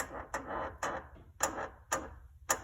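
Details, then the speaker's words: 2008 Lamborghini Gallardo Spider front control arm, about 18,000 miles, arm worked by hand: slow dry stick-slip creaks about every half second from worn control arm bushing, also heard when front lift raises and lowers; control arm bushing creak. "let me show you the creek it's it's really easy to move the control arm now so you can just there's the sound"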